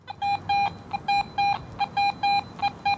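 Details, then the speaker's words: Garrett AT Pro metal detector in Pro mode: clear high beeps about once a second with short iron blips between them, a quarter reading around 85 standing out among iron trash; good target tone. "I'm getting iron trash readings all around that but uh that quarter you can really pick it out and it stands out"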